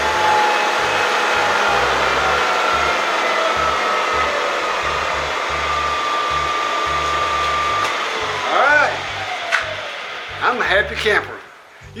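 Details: Bridgeport Series I milling machine head after repair of spindle that had stalled halfway up to speed: smooth, even motor whine holding steady then winding down cleanly with no knock or rumble; normal spindle run.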